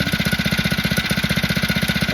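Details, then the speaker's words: Phatmoto two-stroke bike motor idling with choke left about one-eighth open: quick, even popping at roughly thirteen beats a second, no hunting, dropping or rising; idle now smooth and stable. "now this time I am getting a nice and smooth Salon the engine he not searching dropping going higher"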